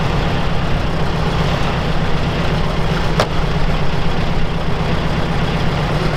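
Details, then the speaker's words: UAZ 469 with an old ignition system, started on choke, getting plenty of fuel: low, heavy, lumpy idle with little power, running on only two of four cylinders; misfire the owner attributes to an ignition problem. "okay so it does fire up but it doesn't sound like we're running on all four"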